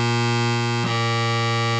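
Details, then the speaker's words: Oberheim OB-X synthesizer under repair after mouse-urine damage and shorted voltage rails: held note clicks and jumps in tone as it loses contact and switches to the next voice card; dirty key contacts and bus bar, to be cleaned. "you can hear it loses contact and switches to the next voice card and that's a key contact and busar issue"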